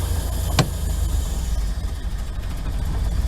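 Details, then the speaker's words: Old campervan after sitting all winter, tuned up last year: high idle in park and neutral, but in reverse or drive the idle sags and nearly stalls; a vacuum leak or sticking idle air control valve suggested, unconfirmed. "Throw it in reverse, wants to die. Neutral, high idle. Needless to say, it definitely needs some help."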